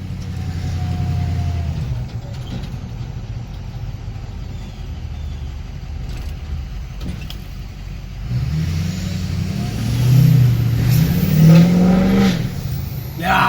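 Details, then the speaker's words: 2006 Ford F350 6.0 diesel "BigBlack", pulling hard after fixing P2262 code (broken MAP sensor nipple on intake) that caused lack of power and cylinder drop-off; deep rumble builds smoothly with load, no flutter or hiss: normal turbo boost under hard acceleration. "way better that was a nice pole so I'm I'll just make sure that everything else is all set but uh thanks for watching this quick little nothin episode of what's up guy garage the big black files a lot happier now got boots back"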